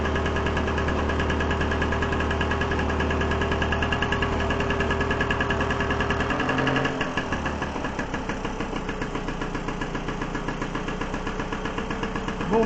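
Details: Solex 3800 moped, two-stroke, stored over 20 years, fuel system cleaned, started with a drill on the 14 nut: after a brief dip in speed settles into a steady even buzz, running cleanly and holding idle.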